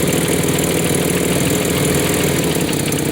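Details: 1993 Nissan Pathfinder 4x4, 205k miles, 5-speed manual, with power loss and a suspected failed injector, idling: faint rapid puffing tick barely audible over the engine; owner attributes it to an exhaust manifold leak.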